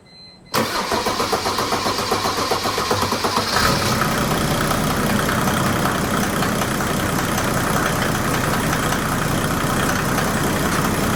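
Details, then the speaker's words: Mercedes W210 with stock OM606 diesel, just fitted with a stage 4 ECU, glow plugs warmed first: cranks about three seconds, then settles into a clattery, slightly uneven idle. Rough cold start; the owner suspects failing glow plugs. "Like I said, I think it has a rough start because the glow plugs are going out."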